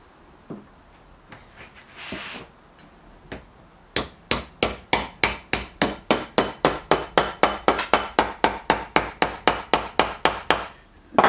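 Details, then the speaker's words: Look Keo2Max pedal bearing rebuild, pressing new ball race into pedal: steady hammer taps, sharp ringing note; sound changes once fully seated — not there yet, bearing not fully seated. "can tell when you get there because you you hear the changing sound I don't think we're quite there yet"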